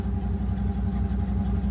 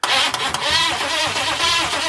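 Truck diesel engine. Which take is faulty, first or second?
second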